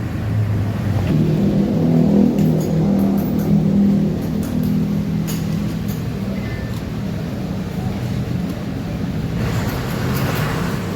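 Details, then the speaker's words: Honda Vario 150 scooter on its center stand after repair of an electric-start fault: steady low engine hum holding an even pace without knocks or misses. Normal running. "The first case here didn't start. If you crank it, it works."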